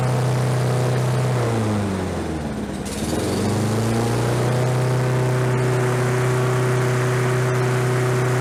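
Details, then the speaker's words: Lawn-Boy 21-inch self-propelled mower found in the trash, oil very low, compression feeling weak. It settles into a steady, even hum, sags briefly around two seconds, then picks back up and runs smooth. "so that's interesting like i say this is out on the side of the road with the trash and it runs"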